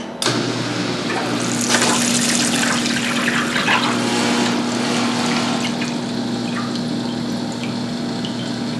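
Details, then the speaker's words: Switch-operated pump feeding the continuous-flow cold water rinse (irrigation) tank of a bluing system: steady low hum under rushing, splashing water, no leaks or errors; pump running normally. "So that's how it runs. Runs pretty good, pretty happy with it. No leaks, no runs, no errors."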